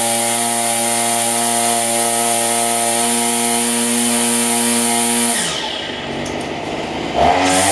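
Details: Cheap two-stroke string trimmer after $6 carburetor kit rebuild: steady, high-pitched buzz holding even revs about five seconds, then dropping away; runs clean and smooth.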